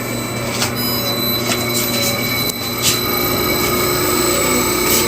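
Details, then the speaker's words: LG Dual Inverter aircon, tested after it failed following cleaning: compressor and fan both running with a steady, even hum and faint high tones, no knocking or rattling; normal running. "Okay na, maandar. Kuha na natin ng ampere para makita nyo ng maandar na siya."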